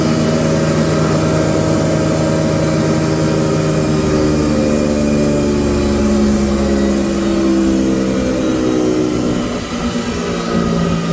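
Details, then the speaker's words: Used SR6-10 (Krasny Metallist) 630 mm thickness planer after restoration repair in May 2021, three motors (main, lift, feed), feed 8–16 m/min: steady motor hum, low drone shifting pitch mid-run, no knocking or grinding; runs smoothly. "Две скорости подачи 8-16 метров в минуту. Показываем станок в работе."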